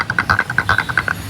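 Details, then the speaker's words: Audi A4 rear subwoofer playing: sharp, dry, drum-like taps, about eleven a second, buzzing with the bass; the edges of the subwoofer surround are torn from age and heavy use, and the fix is recone; subwoofer surround rattle. "अगर आपके पास भी Audi A4 है और problem आ रही है, subwoofer ऐसे आवाज़ करता है चलता हुआ, जैसे अभी कर रहा है डमरू की तरह, तो इसको ओपन करने के लिए डिस्क्रिप्शन में दिए गई वीडियो को देखें।"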